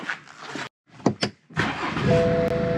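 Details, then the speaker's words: 2016 BMW F20 118d diesel, 44,684 km, used-car inspection: door and cabin noises, then engine catches promptly and settles into steady idle with dash chime; clean normal start. "일단 시동은 잘 걸렸고, 체크해 보자고요."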